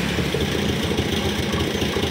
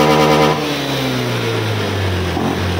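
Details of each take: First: Honda Scoopy 2020+ scooter (same engine as the Genio, SF frame) stumbles and pops unevenly and won't pick up revs when the throttle opens. It is a severe misfire and won't ride; the cause is not yet found. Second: Honda Scoopy (2020 onward) scooter, previously sputtering and refusing to go, after repair: engine revs up cleanly and drops back smoothly without stumbles; now very responsive, normal revving.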